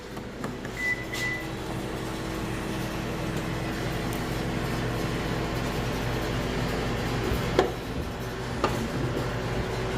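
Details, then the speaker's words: 2015 Subaru power liftgate after tightening a loose nut on the gear/motor mount: steady low motor hum as the hatch travels, only a couple of isolated taps, no repeating click; clicking gone. "wow all right I guess to me it's a fix that sound is gone"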